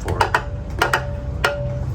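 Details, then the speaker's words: Seat Leon engine and surplus transmission being mated, crank turned by hand before tightening: light uneven metallic clinks from converter bolts wiggling in the flexplate holes, confirming the torque converter turns freely without binding. "so there shouldn't be binding between the torque converter and the flex plate there you see there's the sound that's the sound that you're looking"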